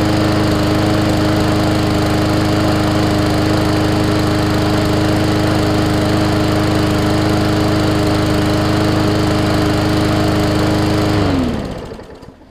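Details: Hyper Tough push mower with Briggs and Stratton OHV engine and plastic carb, sat over winter with water in the fuel; smooth, steady putter at constant speed for eleven seconds, then a clean wind-down as it shuts off, runs healthy.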